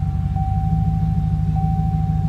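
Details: Chevrolet Silverado (2003 or 2013) idling steadily after disarming a newly installed Viper 5706V alarm with kill switch: low, even rumble with an even firing beat and no misses or knocks. A normal idle.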